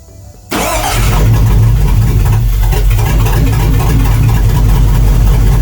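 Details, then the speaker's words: 1999 GMC Sierra 2500HD with good compression and spark fired up with quick start in intake: loud, uneven, lumpy running, dropping cylinders; misfire traced to sludge-clogged, seized injectors, only one less-dirty injector working, rusty fuel rail. "so this last one here is the only one that was functioning before I took it apart, and it's not nearly as dirty, so that may be why it was still working."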